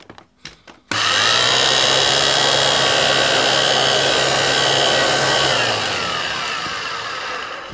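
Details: Electrolux 612E (600 series) vacuum, owned about two years: motor spins up to a steady, even high whine with a smooth hum, no rattle or scraping, then winds down; normal running.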